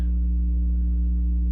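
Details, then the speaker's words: Steady low buzz with even overtones, constant level: mains hum reaching the speakers with only one cable to the new Rockville RPA9 800W two-channel amp, so hum comes between main amp and this amp; owner suspects they need the same circuit. "as you can hear I'm still getting a hum just through that just with the one cable going right to it so the hum must be coming between the main amp and this amp"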